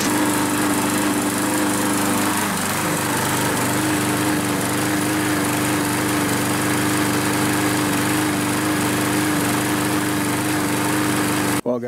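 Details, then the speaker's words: Kohler XT6.75 (6.75 hp, 149 cc) on a Yard Works self-propelled mower, which dies after 20–25 minutes of running: engine runs rough with a wavering, uneven note, then slowly dies away; debris clogging the carburetor main jet. "I'm going to remove the carburetor and put that into the ultrasonic cleaner as well and because when it was running it was running a little rough so I'll fire this thing up just so you guys can hear it"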